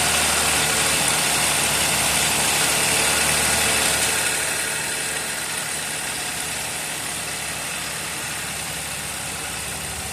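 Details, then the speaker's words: 2023/24 Chevrolet Montana 1.2 turbo three-cylinder LTZ Premier, 20,000 km, idling with an even tapping about three times a second, loud inside the cabin. Dealer says it's normal for three-cylinders; owner says it didn't do this when new. Cause unconfirmed. "Dia que comprei essa montana aqui 23 24, porém apresentou um barulho no motor, entendeu? Barulhozinho estranho e chato. Lá dentro do veículo. Faz bastante alto."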